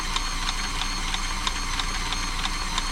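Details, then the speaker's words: Frister & Rossmann 904 sewing machine after oiling the mechanism during service: light, crisp evenly spaced ticking about three per second, no drag or grind; machine now freed up and running freely. "that's different machine now look so much difference drop of oil in the right places and now I'll show you that's really freed up"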